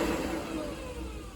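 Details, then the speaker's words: Custom heater blower, dash-switched, turned down from max to low speed with key on: steady, even rush of air with soft hum, no rattle or scrape; blower runs normally at low speed. "you're still getting plenty of air flow at there you can you can feel it so it's going to work really well don't have to be real high but honestly the noise I think the exhaust will be louder"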